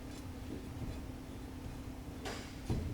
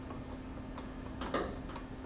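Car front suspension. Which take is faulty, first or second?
first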